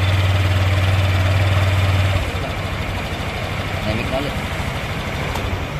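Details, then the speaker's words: Honda Click 125 scooter idling quietly after repair: a steady low hum that settles lower after a couple of seconds, with no ticking from the top end. The earlier tick was diagnosed by ear as the tensioner. Normal idle. "So, yan nga mga boss. So, nakita nyo naman, tahimik na yung motor."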